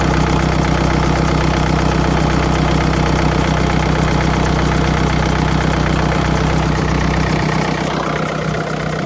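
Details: 2012 BMW 525xd, N47 diesel, 221,000 km, before repair: steady even clatter at idle, two to three beats a second over the diesel rumble; worn timing chain, later fixed by replacing the full timing chain kit.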